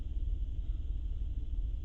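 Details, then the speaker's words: 2008 Honda Pilot at idle with stored misfire codes on cylinders 4, 5, 6: deep uneven stumbling rumble, with cylinder 5 misfiring most and 6 close behind; suspected bad coil or injector. "you can see right away number five is pinning right away and painted pitting really really fast six is right behind it but not that rapid maybe a bad coil maybe a bad injector who knows"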